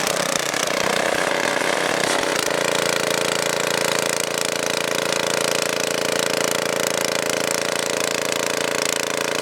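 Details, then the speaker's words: Tiller small engine that wouldn't start, fixed by blowing debris out of the carburetor with compressed air: settles into a steady even buzz with no misses or surging; running normally. "I don't have the air filter, so I'm going to install that next, but just to show you, it's running really good now."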